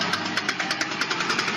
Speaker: If you ever hear this sound during turns, especially tight turns in parking lots, your [music] CV joint is in its final stage of life. That sharp clicking or popping sound that matches your wheel rotation means internal damage has already occurred, and complete [music] failure is approaching fast.